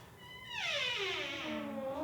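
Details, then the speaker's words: Very squeaky door hinge before lubrication with 3-in-1 oil: a loud, wavering squeal sliding downward in pitch as the door swings. "Okay, we have a really squeaky door here."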